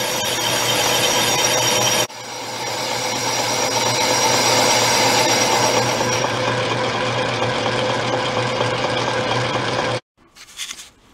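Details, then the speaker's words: Old Atlas 10 inch lathe boring a motorcycle cylinder with a homemade boring bar, slow automatic feed: steady, even scraping cut for about ten seconds with no ringing squeal or judder. Clean boring cut, no chatter. "sounds like it's cutting pretty good no chatter that's a good thing"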